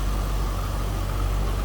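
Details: 2004 Chevrolet Corvette C5 convertible, likely LS1 5.7 L V8 about 350 hp, about 38,459 miles: smooth even deep rumble, no ticks, knocks or misses; normal idle.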